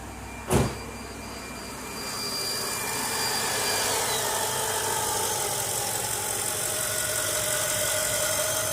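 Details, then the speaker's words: 2002 Mercedes CL500 V8 after new spark plugs, coil packs and plug wires on the right bank: after a thump it settles into a smooth, even idle with no ticking or misfire. Normal idle. "no ticking no misfire all right she's running so we got that one side done"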